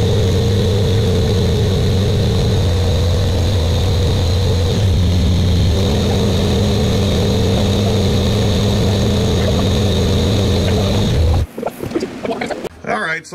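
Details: Buick Grand National freshly rebuilt engine, first start during cam break-in, run for 10 minutes, no thermostat: steady, even fast idle with a deep, smooth exhaust drone, no ticking or knocking; good oil pressure, no leaks.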